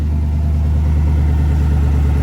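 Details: 2020 GMC Sierra V8 at idle after a new serpentine belt and idler pulley: deep, steady rumble with no chirp or squeal, belt drive running quiet.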